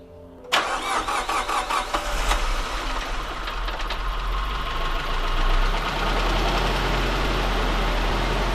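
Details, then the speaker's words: Nissan S13 200SX CA18DET before cam angle sensor adjustment: brisk crank, immediate catch, brief rev, then a smooth even idle with no knocks or ticks. Normal start and idle. "you can already hear that first engine is a lot happier as it stands right"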